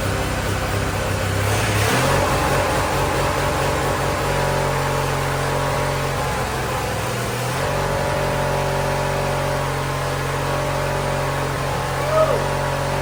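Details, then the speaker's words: Wheel Horse GT-1600 Workhorse with a Briggs engine, after ether and at full throttle, on a suspected fuel-delivery problem: it settles into a steady, even drone with a brief rev and no misses. Running smoothly; the owner thinks the fuel pump perhaps just needed priming. "good [Applause] he's the runner not bad look at that got ourselves a runner that's pretty impressive"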